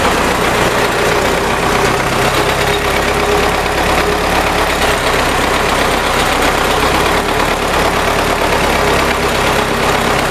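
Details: MTZ tractor diesel idling: a loud steady clatter with a faint repeating knock inside the engine; internal knock, cause not yet known.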